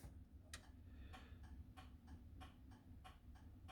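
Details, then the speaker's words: Renault Spider indicator flasher, with no audible dash telltale fitted: quiet, regular ticking at about two to three per second over a faint hum. It works normally and is probably audible parked in the garage, but is inaudible on the road in the open-top car. "um it's just that that's the only telltale you've got so you probably hear it when we're parked up in a garage but on the road with the wind in your hair or lack of it in my case you can't hear a thing"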